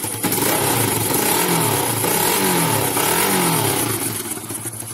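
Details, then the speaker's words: Motorcycle started and revved several times: each rise comes out loud and raspy because the silencer has broken at its weld. Cracked silencer, before welding repair. "दोस्तों यहां से जो उसका welding है वहां से टूट चुका है हैं और इसमें आवाज कैसी आती है मैं आपको दिखाता हूं"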